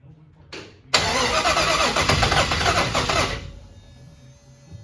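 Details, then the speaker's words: 1961 Chevrolet Impala with fuel injection, first crank test after conversion: starter churns rapidly, engine never fires; computer, fuel pump and injectors working, oil pressure present; owner suspects timing, or valves not adjusted right. "that is definitely a timing problem that could be could also be not having the valves adjusted right"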